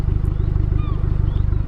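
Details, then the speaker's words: Ford Fiesta ST180 with Revo RT330 tune and Milltek exhaust, after the exhaust rattle was fixed by welding the hanger: steady deep idle pulsing evenly with a clean burble and no metallic buzz or rattle. "so she's all good she's all ready to go she's nicely welded she's clean there's no rattle she sounds great"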